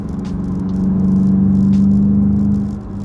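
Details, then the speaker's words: 2023 VW GTI 40th Anniversary six-speed manual, near-new: loud low engine drone with a rapid loose rattle about four per second, clutch chatter; dealer inspection and code scan found nothing wrong, shifting and drivability unaffected, only the noise. "there's nothing that like is wrong with the car as far as drivability and the like affects the shifting whatsoever it's just the noise it sounds like an absolute [ __ ] [ __ ]"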